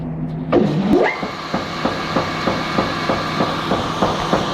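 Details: Unloading-auger knock: a sharp, regular knock about three times a second over the machine's hum, apparently once per auger revolution; the engine shakes about 5–7 mm; cause not yet found.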